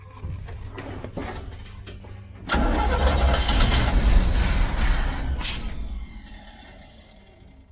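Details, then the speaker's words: 1969 Chevy Van six-cylinder, off the road 35 years, choke not hooked up: slow cranking for a couple of seconds, then it catches into a rough, loud run that settles and fades; raw gas smell noted. "she's rolling hopefully it's not in gear but good [Applause] [Music] sounds pretty good"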